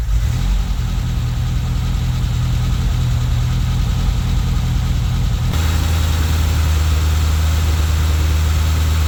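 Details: Toyota Tercel wagon with swapped 4A engine and carburettor, just after fitting a Schneider Racing regrind cam with valve springs: loud, loping idle with a choppy uneven beat of roughly four pulses a second, typical aggressive-cam chop.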